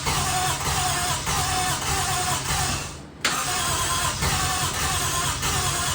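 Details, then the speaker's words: 1JZ-swapped RX7, first start after Radium fuel rail and fuel pressure regulator install, fuel pressure up and no leaks: engine catches with uneven stumbling pulses, sags, nearly dies; fires a couple times but won't keep running, cause unknown, kind of sounds like it wants to pop off. "Nope, something's not happy. Don't know what's going on here. Really not sure what's going on here. Kind of sounds like it wants to pop off. It fires a couple times and just doesn't want to run, so I don't understand what's going on."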